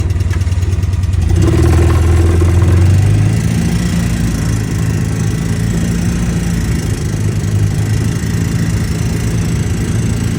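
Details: Polaris Ranger 700 utility vehicle engine running with a light repeating click, about four per second, over its low drone; clicking noise of unstated cause.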